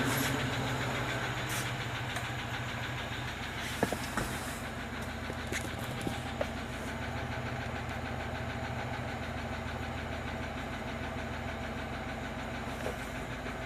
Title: Стук двигателя Москвич УЗАМ 412